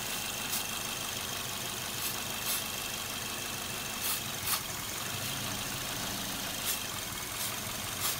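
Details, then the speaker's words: Idling petrol engine with a lean bank 1 and P0102 MAF code; spray around injector bases gives short hissing bursts and the idle RPM shifts; vacuum leak suspected at one of two injector seals. "it changed the RPMs of the vehicle and I'm going to say it's one of two things it is either a bad seal on the injector which is this one or this one"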